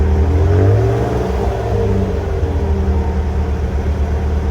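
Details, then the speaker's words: 2008 Toyota Tacoma with a cheap muffler before replacement with a Walker Quiet Flow stainless muffler; deep, loud low exhaust drone at idle and revs, audible in the cabin; loud exhaust drone, muffler considered restrictive. "Believe me, when you're driving, it just sounds horrible. It's a horrible sound. It's so loud."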